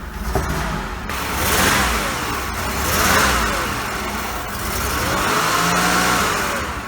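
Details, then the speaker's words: Oldsmobile Ciera wagon, not yet warmed up: engine swells on throttle with uneven stumbles and sharp pops on each rev; misfire, owner leaning toward coil pack. "I'm going to let it run for a few minutes let it warm up and I'll try to take it for a spin and I I got to say if this doesn't solve it uh I'm kind of leaning the side of the coil pack perhaps"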